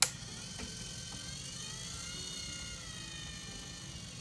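A faint, even motor whir holds steady at low speed with no knocks or wobble; the spinner gear motor is running smoothly.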